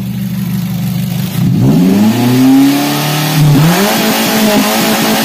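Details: Daihatsu Gran Max revved from idle to a held high rev: strained, uneven, wavering pitch, choked exhaust; clogged catalytic converter caused by poor fuel quality.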